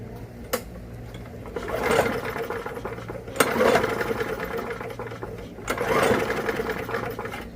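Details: Walk-behind lawn mower that locked up, which the owner calls vapor lock, pulled over with the spark plug removed: three bursts of quick chuffing whir with no firing; the engine turns freely.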